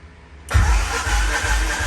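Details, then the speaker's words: Honda Civic EK with a D16A engine, after a new fuel pump was fitted and primed: about a second and a half of steady starter cranking, then it stops and never fires; cranks but won't start, cause not yet found. "all right so i've been trying for a long time to get my car running and it won't run"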